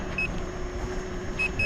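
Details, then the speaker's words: Gotway MCM4 electric unicycle riding at about 13 mph: three short high beeps over quiet ride hum, one then a pair; first speed alarm set at that speed. "you can hear the beeping going on and I'm doing like 13 something"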